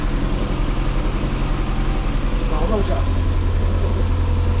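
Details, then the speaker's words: Mazda MX5 NA Eunos Roadster after replacing the leaky valve cover gasket: a steady, even low idle with a smooth, regular pulse and no knocks or ticks. It sounded much better immediately on startup. "it started up it sounded a lot better straight away as soon as it started"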